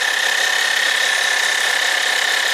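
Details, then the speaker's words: 2012 Honda Odyssey with new replacement alternator after check charging system warning and P1549 high voltage code, charging 13.5 V at idle; constant high-pitched whine near 1.8 kHz getting worse, suspected defective alternator. "Let's take it for a rip. Is there a weird sound coming from this alternator?"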